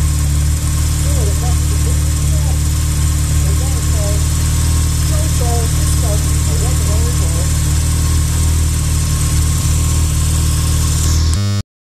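Steady, even idle with a low smooth burble and no rattle or clatter; the engine runs clean and settles nicely.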